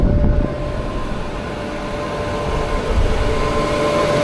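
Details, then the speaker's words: Farm grain blower after harvest, big electric motor driving a big fan that sucks in air and blows grain up the pipe: steady roaring air rush with constant mid-pitched hum; running smoothly, normal. "A big electric engine and then basically a big fan. And it sucks in air there and blows the air real fast in the pipe."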